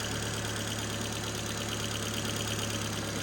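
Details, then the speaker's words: Ford Fiesta race car warming up to temperature; steady even tick-over with constant low hum, no stumbles or misfire beats; normal idle. "but yeah well John's car is ticking over very very nicely"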